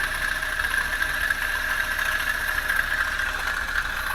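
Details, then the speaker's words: Toyota Avanza engine running: rough idle with a steady high-pitched rushing whine, hoped to be from the front belt area and suspected to be a failed belt-driven bearing; water pump is new but non-original, so the bad bearing was still to be located. "Oke ini suaranya kasar mudah-mudahan suara kasar ini ada di bagian luar ya panbelnya suaranya kasar"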